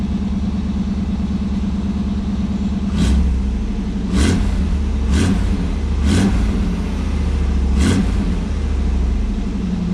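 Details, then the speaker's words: 1989 Pontiac Firebird Formula, tired 350 V8 with new open headers, air cleaner off, warming up in freezing weather with condensation in pipes: even idle with quick clean blips, picks up and settles smoothly, normal running. "Well, there you have it. Some condensation in the pipes, but it's freezing out, but runs pretty good. Sounds pretty good."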